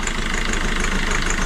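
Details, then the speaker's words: Citroën C4 Grand Picasso diesel restarted after five months, idling about five minutes with heavy white smoke and an EGR cooler bypass fault stuck open: rough idle with fast steady clatter; owner suspects rocker arms ticking, unconfirmed. "pour moi il claque. Le bruit qu'on entend c'est du à directement les culburs derrière."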